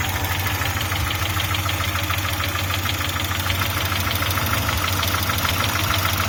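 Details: Audi 80 B3 engine: sharp, regular knock about three per second clearly over a steady idle; engine knocking, cause not yet known.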